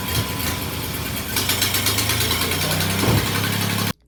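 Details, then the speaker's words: Cheap used Jeep after new ignition coil fitted: low, lumpy tractor-like idle that never settles; misfire actually caused by the throttle body plug not connecting properly, cured by a junkyard replacement plug. "it ended up actually being the plug on the throttle body it wasn't it wasn't plugging in correctly"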